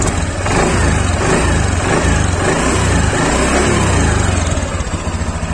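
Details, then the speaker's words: Honda Beat Deluxe scooter, throttle blipped and released: engine rises and falls smoothly with no klok-klok clacking from the CVT pulley side, normal; clacking would indicate a worn roller housing and roller cover. "Ini teman-teman wajib dengerin ya, suara normal itu seperti ini. Jadi digas dilepas tidak ada suara klok-klok-kloknya."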